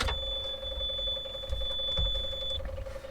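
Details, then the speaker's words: Excavator with intermittent click-no-start, key at first click: steady high warning beep over soft electric fuel pump priming hum; normal. "you can hear the beeping. You can hear the uh the fuel pump and everything running."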